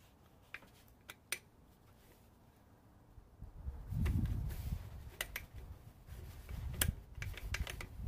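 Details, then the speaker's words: Brand-new Ryobi PBLID02B 4-mode impact driver: sharp irregular clicks as the quick-change collet is worked but won't release a stuck 1-inch paddle bit; ball bearings inside suspected stuck, tool returned. "can hear clicking trying to let go and it's stuck the ball bearings inside are stuck"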